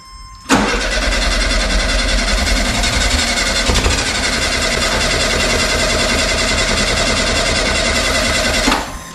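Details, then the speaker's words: 1972 VW Super Beetle stored about 20 years, fuel line just hooked up: the starter spins the engine steadily for about eight seconds with no firing. It cranks but won't start because it isn't getting fuel. "all right it's not getting fuel some reason sounds cute doesn't it"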